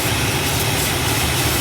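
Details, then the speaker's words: 1967 Imperial Le Baron V8 warming up after a cold start, with the idle fuel mixture richened, which helped tremendously: a deep, steady, even idle with no hunting or stumble. The car is being chased for a lean surge at cruise. "the rich in the fuel mixture at idle which has helped tremendously"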